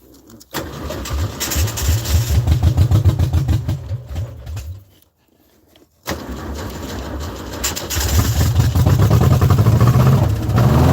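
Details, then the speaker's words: Trike engine that began knocking after a drive from Louisiana to Tennessee, flooding badly: long cranking at about 3.5 turns a second catches, dies, then catches again and revs; hard to start; hard starting from flooding. "I know it's like it's flooding out real bad I can try to start it again but I gotta it just doesn't let's see let's try to start it and see if it starts up again"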